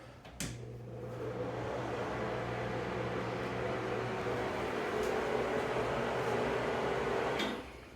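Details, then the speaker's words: 25-year-old Broan NuTone bathroom exhaust fan: switch click, then steady low hum and rushing whoosh audible throughout the house; being replaced with a quieter, larger Broan Flex AE80LK. "didn't sound too bad there but you can hear it throughout the whole house"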